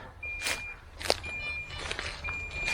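Steady high-pitched beeps, about half a second each, roughly once a second, over footsteps rustling through undergrowth: the downed drone's locator alarm.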